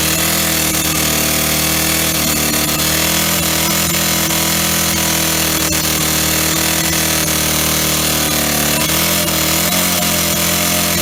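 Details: Old Stihl 08S chainsaw (roughly 48–56 cc) on old gas. It runs off choke and the cut-out switch doesn't work. Under load in a log the pitch sags with loud knocking from the top or bottom end, and it is very low on power.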